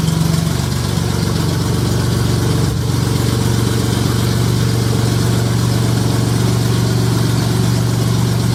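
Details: J35 engine (about 183,000 miles) swapped into a Subaru Baja, warm idle on a cool fall day; steady, even low hum with no knocks or ticks. Oil pressure about 60 psi, coolant near 150 with a fan on, compression modest, radiator struggling.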